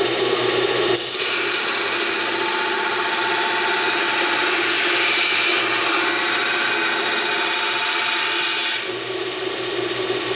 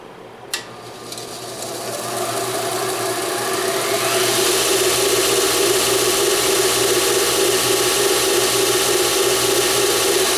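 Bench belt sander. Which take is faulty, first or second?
second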